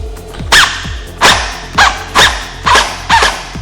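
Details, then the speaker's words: Airsoft AEG gearbox with motor height adjusted too high, too far into the gears: separate slow shots about every half second with dragging wind-down, motor labors under resistance; fix is lowering the motor by turning adjustment screw counterclockwise. "sometimes you can turn the motor too high and it's too far into the gears and it's not reaching the optimal angle of Engagement uh for the gearbox uh when that happens it'll usually sound like"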